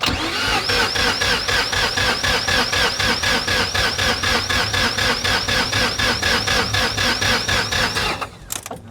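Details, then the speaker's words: 1993 Mazda RX-7 FD, rebuilt 13B-REW rotary with T78 turbo, Power FC and custom fuel system, first start attempt after years: steady cranking at about four pulses a second with no firing; fuel pressure low and battery seems weak. "fuel pressure is a little on the low side. The battery doesn't sound strong enough."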